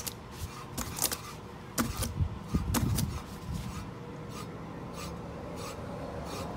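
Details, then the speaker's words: 2006 Ford F-150 after replacing front wheel bearings, wheel spinning: only a soft brushing tick each turn from light brake pad contact, no growl or rumble; normal wheel bearing with light brake pad rub. "what you're hearing there is a little brake pad but other than that no more noise period"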